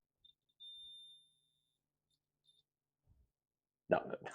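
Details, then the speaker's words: 1979 Kawasaki KZ400 wiring harness continuity test: probe on positive battery lead to battery ground gives a single steady high-pitched beep under a second, showing the harness is shorted to ground. "Something is it's it's definitely shorting."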